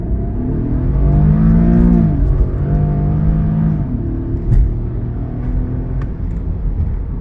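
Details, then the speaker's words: AWD Infiniti/Nissan with VVEL after valve re-adjustment, not yet fully warmed; hard launch from standstill without wheelspin, engine note climbs and falls evenly with no stumble or misfire: normal acceleration. "Подивіться зараз, як у нас з місця вистрелює. Вона б, якби була задньопривідна або передньопривідна, вона б третьої шліфувала би. А так просто повний привід піднімається і без пробуксовок прискорюється огонь."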